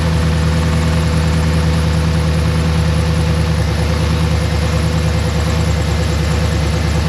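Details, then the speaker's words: Cadillac Escalade cold start after refilling the cooling system, during a head gasket block test: strong steady idle with even beat, no stumbles or skips; no misfire, so head gasket probably okay. "If you don't get any misfiring when you start it up after filling the cooling system, it's probably okay."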